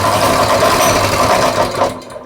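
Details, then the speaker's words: Coleman 196cc mini bike, a customer return with a locked-up motor, starting for the first time after about two hours of repair work. The small single-cylinder engine catches and buzzes at a fast, even rate before cutting out; it runs. "Are you freaking kidding me? It runs. Oh my goodness. Yep, I can't believe this thing runs."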